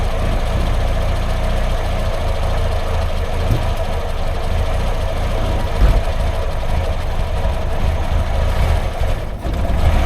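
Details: Triumph Herald Estate, first start after refitting the exhaust and inlet manifolds and carb: uneven, lumpy low idle with irregular stumbles and a dip, struggling to hold tickover. It revs well but chokes up off throttle, and the owner suspects over-fueling.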